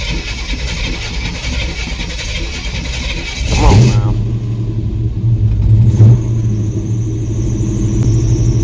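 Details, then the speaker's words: Chevrolet C10 truck engine started after sitting about three weeks. It cranks and catches, then a thin high squeal rides over the rough idle, with some rattling. The drive belt is slipping and squealing and needs replacement. "a lot better than it was as y'all can tell though just gotta go get the damn belt get rid of that squeaking and squealing son of a gun"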